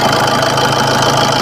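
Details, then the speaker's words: Maruti Suzuki Swift diesel at about 279,000 km idles with even clatter and no rattle or slap. The engine sounds normal, with valves and head fine; the only fault found was a loose timing chain and tensioner. "Engine sound കുഴപ്പമൊന്നുമില്ല വേറെ ബാക്കി ആ timing chain ആ timing ചെയിനിന്റെ അത് loose ആയത് മാത്രമേ കുഴപ്പം ഉണ്ടായുള്ളൂ"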